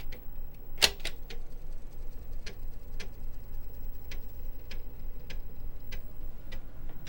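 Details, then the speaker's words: 35+ year old Amiga 1000 floppy drive, reinstalled, trying to boot Kickstart: uneven sharp ticks about three a second as the drive keeps seeking without loading; not booting. "Let's see if I can boot. Okay, Amiga's asking for Kickstart. Oh, damn. Not working."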